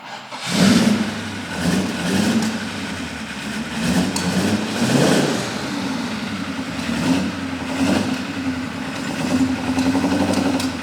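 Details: Maserati Ghibli 4.9 V8 first start after refitting engine and gearbox in a restoration: cranks briefly, catches cleanly and settles into an even run with a few smooth blips; healthy start.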